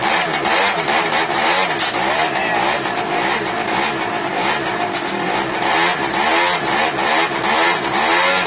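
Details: 1999 SYM Jet 50cc two-stroke scooter, previously non-running (no spark), after exhaust refitted and mixture adjusted: crisp buzz rising and falling with throttle, clean pickup, no misfires; revs freely.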